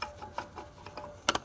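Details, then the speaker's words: Nissan Skyline R32 GTR RB26DETT twin turbo making no boost after a failed CHRA: light metallic clicks and a sharp double knock as the turbo shaft, with lots of play, is rocked by hand; the compressor wheel rubbed its housing and metal fragments were found in the oil. "here's the shaft plate so you can hear that as a shaft that's really loose in there"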